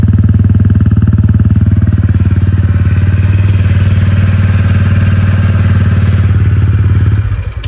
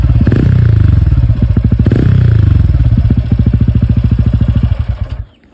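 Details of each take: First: TVS Ronin 225 before its 3rd service: steady single-cylinder idle at about four beats a second, with a dry rattly clatter on every beat. The owner says engine noise has increased and become clattery. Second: TVS Ronin 225 after its 3rd service: an even, crisp single-cylinder exhaust thump at idle with no tapping or rattle, then a clean shut-off. The beat is back to normal, as when new.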